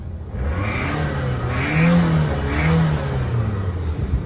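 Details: Car with a recurring belt squeal and suspected coolant leak, after a new manifold was fitted: three quick throttle blips rise and fall cleanly with no squeal, engine sounds healthy; final revving test before a long drive.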